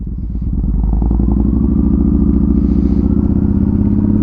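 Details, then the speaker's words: Motorcycle warming up after a start, steady even thumping idle that firms up slightly as it warms, no stumble heard; the bike keeps dying, owner suspects the battery from not riding it enough, unsure. "The bike's been dying. I think it's just the battery, because maybe I don't ride it enough."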